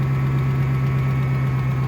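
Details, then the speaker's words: 1500 truck, 5.7 L engine, 270,000 miles, pulls 4–5 tons; started just after a synthetic oil change with oil stabilizer. Steady low idle carries a faint, quick, light clicking, present for 3 years, cause unknown. "I'm going to start it up so you can hear it. Hear that little clicking? There's a little bit of clicking."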